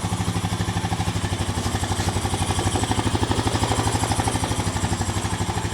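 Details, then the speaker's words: 2007 Honda four-wheeler ATV revived after about five or six hours of work: steady, even single-cylinder idle thumping about three times a second, no knocks or misses, runs smooth; normal idle. "sounds pretty good [Applause] sounds smooth give a little gag"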